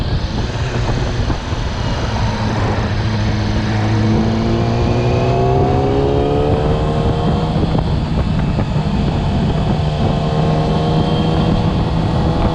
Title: YAMAHA R6 2020 abnormal sound when rev more that 5000